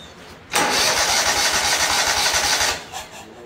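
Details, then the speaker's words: Great Dane Chariot zero-turn with a Kohler CV730 (Command Pro 25) that has been cutting off, started with a little choke and some fuel pushed out the top. It catches quickly, then holds a steady even idle without dying for about a minute. "The key is, will it stay running? I'll let it sit here a minute. I'll be right back with you. It's been about a minute. She's still running."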